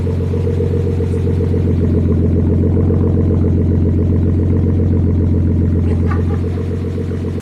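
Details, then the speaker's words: Rebuilt Nissan RB25 in a C34 Stagea, first start after engine reinstall, warming up to temperature before tuning: smooth, even six-cylinder idle, steady low drone, no knocks or misses until switched off; healthy. "there you go, guys. The Stagea runs. I can't believe it."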